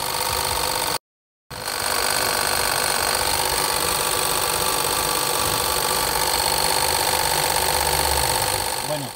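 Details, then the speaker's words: Seat Ibiza at idle with AC not cooling or blowing air: steady high whir with a fast ticking rattle about three a second; a mechanic blamed the AC compressor and the owner agrees, unconfirmed. "por ahí un mecánico me apoyó con que era el compresor del clima y hace un ruido medio extraño este hace un ruido extraño cuando solamente está prendido el carro"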